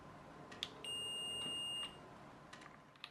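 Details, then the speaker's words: BL 2.4GHz RC helicopter 9004G transmitter, multimeter on the momentary speed push-button set to continuity: one clean high beep amid faint clicks. Button closes properly and works. "I've just got it set to buzz on continuity so we can check whether the button actually does anything"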